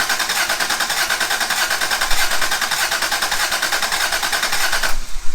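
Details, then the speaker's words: MK2 Toyota Supra rally car after a top-end refresh with new gaskets and seals and a Camry alternator swap, cranking: starter churns at about 2.5 uneven, lopsided pulses a second, a weird gallop of unknown cause that may always have been there. "Well, it turns over without anything funny happening, so. It has a weird gallop, but I don't know if it's always had that."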